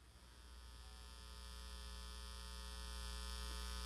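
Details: Marantz receiver phono input with turntable connected: steady low mains hum with buzzy edge, louder as volume rises, gone on AUX and absent with turntable disconnected; owner suspects cables or turntable, possibly tangled radio wire.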